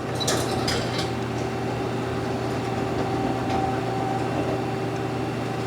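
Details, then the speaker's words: 2011 Mazak QTN 250-II CNC turning center, axes being jogged: steady motor hum with light metallic clatter from the sliding way covers, which is normal; travel smooth; normal axis jog. "That noise you're hearing just the weight cover. Tracks also nice and smooth."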